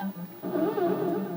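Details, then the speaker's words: Early TKG Donkey Kong arcade board: the run/jump warbling sound tone wobbles about four swings a second instead of seven, too slow. Suspected to be the 556 timer oscillator circuit. "that's way off it's just too slow so here's what I think um the oscillating sounds like the run and the jump are driven by this 556 timer"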